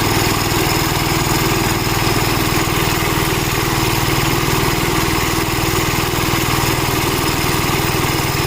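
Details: Gravely Model L tractor with governor, already run earlier, after its blown head gasket was replaced; steady single-cylinder thump at even governed speed with no knocks, misses or hiss from the head. Runs healthy, though an oil leak remains to be found.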